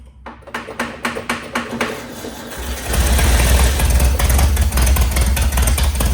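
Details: 1961 VW Beetle barn find air-cooled flat-four, first run after years sitting: several cranking turns, then catches into a loud, raspy unmuffled idle; runs fine, though an oil leak (suspected rear main seal) was found.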